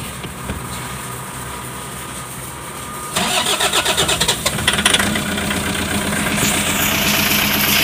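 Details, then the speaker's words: Toyota Hiace 2KD diesel, cold start: chugging crank for nearly two seconds, then it catches and idles unevenly with a stumbling beat and white smoke; cold misfire. "So medyo may palya siya sa unang andar niya."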